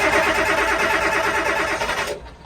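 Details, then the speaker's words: Boat diesel engine after new and rebuilt injectors, with the injector pump and fuel system reinstalled: cranking churn with a brief attempt to catch, then dies after two seconds; it nearly fires, air bubbles likely still in the fuel. "Almost. She fired. She get close. Okay, so that means we're getting oil up to the injectors now, and there's probably just some air bubbles that are still left in it."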